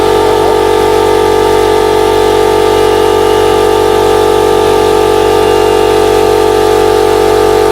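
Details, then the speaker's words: Air compressor running normally: loud, constant motor hum with a quick, even pump beat of about four strokes a second; it pumped up quickly, worked perfectly and runs only warm. "that's one done quick as that very good and it didn't take long to pump up either so so far so good"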